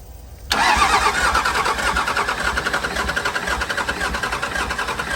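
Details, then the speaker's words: Cummins diesel burnout truck, previously overheated and thought blown up, cranking to restart; starter churns with uneven, sagging pulses, not catching, battery voltage dropping under load: weak cranking from low battery voltage. "hold on you lost voltage again losing a little bit of battery voltage"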